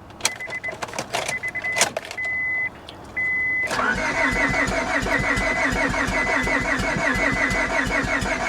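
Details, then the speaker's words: Copart auction Honda, about 300,000 miles, key cycled: chimes then ragged uneven chuffing, firing on only a couple of cylinders; cat seems removed; owner suspects overheating, head gasket or timing belt, unconfirmed. "Sounds like it's only trying to pop off on a couple cylinders."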